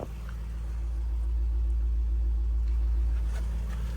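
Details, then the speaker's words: Range Rover Sport SVR, replacement 5.0 L engine fitted after a major failure, just started by bridging the starter motor, smoke from one side as water clears from a cylinder: deep, even idle with no knocks, ticks or misses; healthy. "but yes it's running and it's filling the yard up with smoke only one side but you can see it is all water that was down that cylinder but the engine does sound very very"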